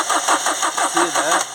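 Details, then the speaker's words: 2007 Ford Transit Connect 1.8 TDCi diesel, crank no start with P0087 fuel rail pressure too low: even starter cranking that never catches; leak-off test shows continuous flow from cylinder three injector, so common rail pressure cannot build. "that's a Continuous Flow that's not what you want continuous flow it's just filling up now that I know I've got too much leak off and cylinder three going back through the injector it can't build up the pressure in the common rail so it's not going to start"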